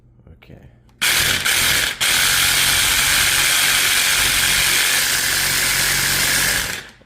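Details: Cordless battery Sawzall that had no power and would not start, after soldering its broken wire back together: kicks on and runs steady about six seconds with even strong motor whir; runs normally after repair.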